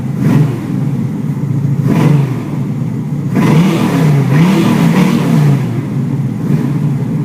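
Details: 1981 Chevy Camaro, 383 stroker V8 (425 hp), under 15,000 miles, fires and blips cleanly over a firm, even high idle; idle set high after a new electric choke install; runs healthy.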